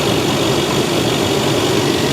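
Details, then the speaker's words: Supercharged 510hp Range Rover V8 bought from Copart: smooth steady idle, only light injector ticking, cooling fan on, no timing chain rattle or supercharger coupler knock, recorded from several angles; normal idle. "anything I don't hear anything at Wow. I'm trying to make sure I get it from every angle so you guys can hear it. No. Listen to how quiet she is. The cooling fan is on. That's about it."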